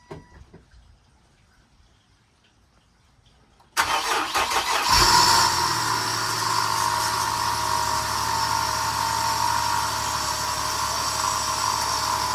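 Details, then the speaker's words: Infiniti G35 sedan project, day 3, sensors and intake tubes refitted, no radiator connected: starter catches quickly, engine fires and settles into smooth steady idle; normal start and idle, transmission fluid then sprayed out. "Well, it runs, so tha"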